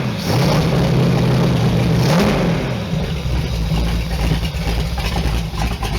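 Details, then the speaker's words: Allmand SuperNova race boat engine, timing not yet set, running at about 110–115° temperature: strong even note revving smoothly and settling to steady rumble, no knocks or misses; healthy. "And man, she sounds like the Beezy. Beezy sounds just like this because it's got the same exact motor."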